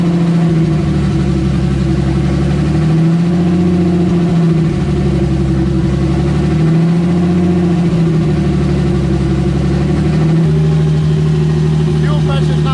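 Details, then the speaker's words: Turbo M52-swapped BMW E30, earlier run with a big vacuum leak: idle hunts up and down every three to four seconds in rhythmic surges; vacuum leak. "so last time when i was running the engine it was with this big-ass vacuum leak so hopefully it runs better now"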